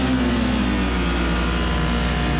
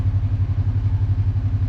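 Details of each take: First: Kawasaki KRX UTV engine idling steady but too fast, about 1,800–1,900 rpm against a normal ~1,200 rpm; high idle. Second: 2020–2024 Kawasaki KRX after idle adjustment, brought down from high idle of about 1,700–1,800 RPM to correct: low, even thumping idle about eight pulses a second, steady with no hunting; normal idle, shifting restored.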